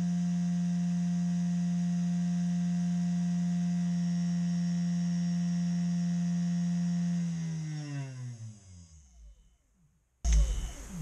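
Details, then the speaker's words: Chinese CNC 3018 Max spindle after replacing the Z-axis linear bearings: steady low hum with a firm tone, then a smooth coast-down to silence; quieter but not silent, spindle bearings likely also need replacing. "not silent but it's much less morality is also need to change bearings"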